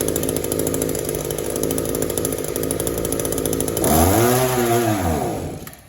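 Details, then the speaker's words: Echo two-stroke trimmer with Walbro WYK carburetor, no air leaks and clean exhaust ports: idles with a steady buzz, but on throttle it rises briefly, then sags and dies instead of revving out; bogs, high-speed mixture screw adjusted next. "Now I'm going to be flashing that choke lever right here, and I just want to show you that it'll idle but it won't rev up. Your exhaust is clean, exhaust ports are clean. Let's just see. It'll idle all day long, but it won't rev up."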